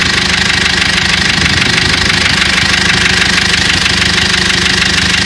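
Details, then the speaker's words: Cummins diesel in a GAZelle at idle with a sharp, steady knock about three times a second, started two weeks ago and worsening daily; injector replacement didn't help, oil light never came on; knock stops when cylinder 3 injector is cut. "Из своего опыта могу сказать что двигатель Застучал буквально недели две назад и с каждым днём всё сильнее и сильнее"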